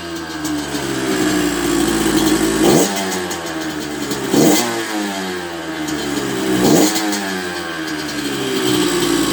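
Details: 1994 Honda CR125 two-stroke after cleaning dirt from the carb that blocked the 58 pilot jet, which had caused bogging and stalling: crisp repeated blips back to steady idle, slightly soft at the bottom; cold night, owner plans air-screw adjustment.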